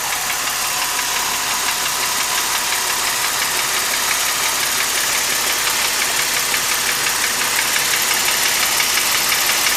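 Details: 2005 Mercedes SLK350, M272 V6 at idle: sharp, even metallic tapping knock roughly twice a second, present since 80,000 miles; owner suspects scored cylinder wall, engine later failed around 130,000 miles; cause unconfirmed.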